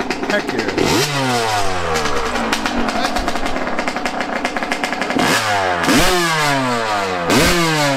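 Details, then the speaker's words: Yamaha YZ125 two-stroke after carb air-screw adjustment, running way better, with more tweaking planned: sharp blips climb fast and fall back cleanly, crisp with no bogging or hesitation. "she's running way better though i'ma tweak her a little bit more though"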